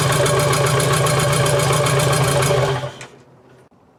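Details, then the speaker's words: BMW 2002 with built M10 turbo engine and E30 M3 S14 parts on first start, loud lumpy fast idle with an uneven pulse before shutoff; misfire caused by spark plug leads three and four swapped, to be changed back. "it turns out all my dumb self did is i flipped around uh three and four um on the spark plug side there so i'm just gonna go ahead and change them around"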